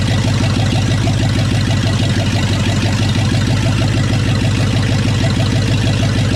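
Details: Rebuilt C2500 350 TBI V8 with a roller cam, first start: loud, deep idle with an even, lumpy beat, steady with no ticking or knocking; a sound fresh engine.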